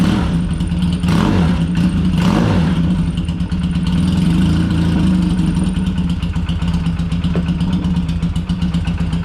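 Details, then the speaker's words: Used older motorcycle with points ignition, just kick-started: uneven idle with occasional sharp pops over the engine thump, about four beats a second; carbs suspected to need a thorough clean and readjustment. "This one's not bad. You hear that little bit of a popping? It sounds like the carbs need to be really cleaned and readjusted again."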